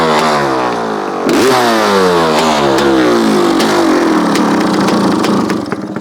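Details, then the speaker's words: 1985 Honda CR500 two-stroke, first run in 23 years, at almost 5,000 ft on 40:1 mix, jetted slightly: blipped constantly, never settling to idle, very smoky; jetting still too rich for altitude. "doesn't quite idle yet it's very so we're up in the elevations we're 47 almost 5,000 ft so I did jeted a little bit but it wasn't enough it still was pretty Smoky running a 40 to1 mixture so it shouldn't be as Smoky as it is"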